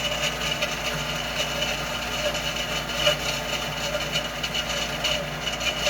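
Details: Loud heater blower noise: a steady, loud rushing roar with a thin whistle riding on top and no clear rhythm; cause unknown.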